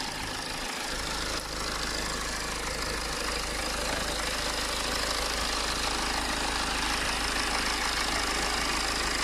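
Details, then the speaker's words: BMW 520d diesel after replacing the fuel quantity control valve with a secondhand part, previously revs hunting and stalling at lights: steady, even idle with no hunting, stumbling or surging. "as you can see now the car island perfect and i'm gonna show you the engine as well now and compared to early on it's pretty much good with a secondhand part which it cost me really"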